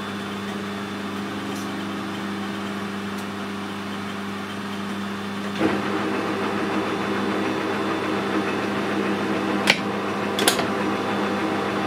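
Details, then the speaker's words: Lathe power feed after reassembly, recorded on camera microphone with background noise: steady low gear hum with a few light clanks, running smoothly, much quieter than before the repair; normal running. "It's working fine. It's a lot quieter than it was."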